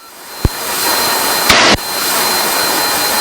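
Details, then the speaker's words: Cabin of a Cessna 340 on a post-maintenance test flight: thin steady high whistle over the loud even cabin drone, no rhythm; pilot guesses an outflow valve or the air conditioning, source unconfirmed. "yes sir it's probably an outflow valve or something I think you're hearing the air conditioning"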